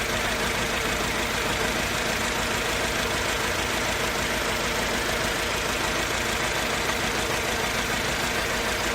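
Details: Mercedes-Benz C200 with a rough, lumpy idle that sounds like it runs on two or three cylinders. It also backfires and loses power when pulling off. Coil packs were tested and all four plugs spark; the owner suspects the throttle body. Misfire of unknown cause.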